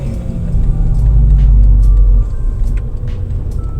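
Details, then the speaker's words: Mazda RX-8 on Federal 595 RS-RR tyres cruising straight at about 110–130 km/h at night, heard from the cabin: a steady low droning whirr, normal tyre noise rather than a bearing. "So on a straight, I can feel the car, because the noise is telling me how. You can feel that the tire or your exhaust? That's the sound of the tire whirling."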